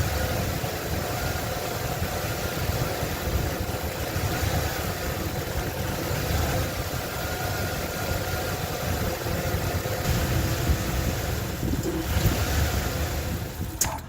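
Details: 1995 Ford Bronco 302 EFI: low V8 idle that wavers and stumbles, then fades toward a stall; owner suspects leaking vacuum lines after new distributor, IAC, TPS, IAT sensor and PCV, and ICM and EGR checked good.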